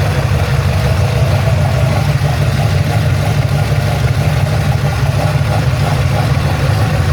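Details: Ford Falcon XC GXL's restored 351 V8, warm with thermostat open, while idle is adjusted: a steady, even low rumble, slightly fast, with no misses or knocks. Normal warm idle.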